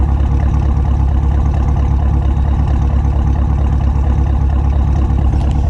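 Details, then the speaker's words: Modified Chevrolet Camaro SS V8 "Bruce", warm idle while the owner diagnoses a slight torque drop. Deep, even burble with steady pulses, no skips or misfire; idles normally. "I just want to show you guys he doesn't necessarily have a rough idle, but I at least want you guys to hear what he sounds like. He sounds pretty normal."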